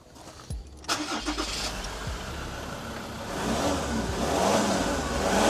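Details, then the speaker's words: Mazda BT-50 diesel ute after full engine service and oil change: brief starter whir, catches promptly and settles into a smooth, even idle rising slightly; healthy start, no rattles. "She's running smooth. Good job."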